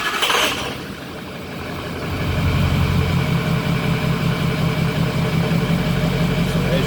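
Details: 2003 Ford F350 6.0 Powerstroke diesel cold start after fitting the missing oil filter anti-drainback valve: brief starter whir, catches within two seconds, steady even clattering idle, oil pressure now builds to almost 70 psi.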